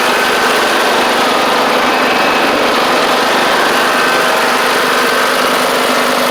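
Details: John Deere D110 riding mower with almost 400 hours, driven out for a test: steady, even buzz at constant speed, no stumbling or rattles; engine running fine.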